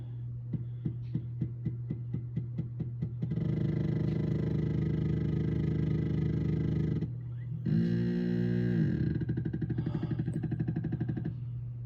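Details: Anycubic Photon M3 resin printer: the Z-axis stepper hums, buzzes and whines in ramping runs but the build plate doesn't move; the fault started around layer 13–14 and the printer thinks it is still progressing.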